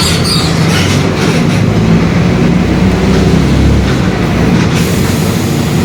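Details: 2021 Marcopolo Torino S on Mercedes-Benz OF-1721 BlueTec 5 chassis, long city bus, under way: a steady low droning growl under the cabin that holds with road speed over engine and road noise, the differential growling.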